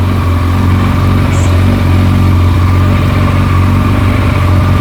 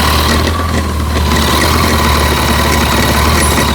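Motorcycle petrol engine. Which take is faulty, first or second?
second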